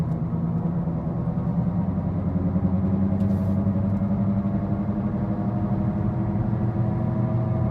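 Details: 2013 Ford Focus: loud steady low droning hum through the cabin at road speed, rhythm unchanged, from a bad left-front wheel bearing, confirmed and replaced by the dealer.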